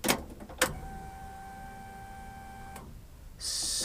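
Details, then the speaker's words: 1992 Honda Accord CB7 with custom wiring harness, on jumper cables from another battery before first start: key on, faint steady whirring hum for about two seconds then stops; fuel pump priming normally. "so right now I do have the fuel pump plugged in and you could hear that turn on so hold on"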